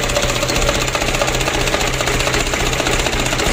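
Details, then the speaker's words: Mitsubishi Canter diesel, first start after re-overhaul (valve clearance set 0.40) and fuel line bled: steady clatter at about two beats per second, no heavy knock; normal, even idle. "Oke setelah terkunci untuk selang novelnya kita coba dulu starter kita hidupkan pilih stress test lagi nunggu oleh mesinnya alhamdulillah lancar berminyak"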